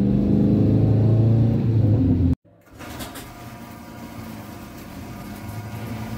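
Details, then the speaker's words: 1995 Plymouth Neon after Motor Medic crankcase flush for ticking lifters/rockers, while driving: quick regular light tick about four a second, quieter than before; owner suspects one cylinder slightly low on compression. "i mean it does still sound like it's a little down on one of the cylinders like maybe a little lower compression still ticky but not as loud as it was"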